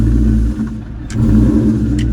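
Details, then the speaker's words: New Edge Mustang after clutch upgrade with possibly lighter flywheel: revs sag and note drops heavily for about half a second on pull-away, then recovers; near-stall bog on take-off, suspected due to lighter flywheel, not confirmed. "But listen, watch as I punch the personal clutch. [Music] And look at this before. Look how easily makes like the stalling"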